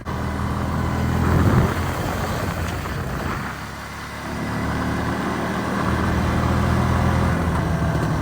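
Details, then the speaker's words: 2001 Yamaha BearTracker 250, sat a couple of years, on a test drive: single-cylinder idle sags and wanders, dipping near stall before recovering. Won't idle; vacuum leak at the intake boot, which needs replacing. "So yeah, I gotta obviously get a new intake boot because this thing does not want to idle."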